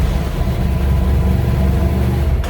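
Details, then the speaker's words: BMW F800GS starting on a cold day on a new Motobolt battery (200 CCA) that replaced a 4-year-old one. It catches straight away, starting better than before, then settles into a deep, steady, even run with no stumble. "Đây là CCA 200 CCA. Hôm nay trời lạnh. Bạn thấy tôi mặc áo len rồi đấy. Nhìn này, nhìn xem nó bật lên tốt hơn"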